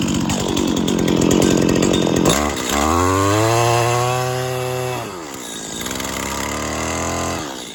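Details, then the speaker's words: 1999 Stihl FS80R 25 cc two-stroke string trimmer, recently bought very dirty and cleaned up, warm start before a planned tune-up: crisp buzz climbing and falling cleanly with throttle, no misses or rattles; running well, normal running. "it does run pretty well actually it was pretty dirty but I did clean it up but it's not perfect"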